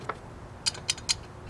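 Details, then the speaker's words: Unmarked 3- or 4-terminal relay bench-tested by powering its electromagnet terminals: three crisp clicks a quarter second apart as the coil pulls in; relay working normally. "right I've just found the two wires two terminals that power the electromagnet and once you know if this is permanently on that you'll hear a bit of a buzzing"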